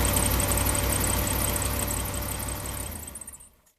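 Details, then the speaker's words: Truck started cold after a spark plug wire repair: steady even idle running slightly fast because it is cold, no miss or knock before shutdown; normal cold idle. "Idols gonna be a little bit high because the truck is cold but it will fire it up"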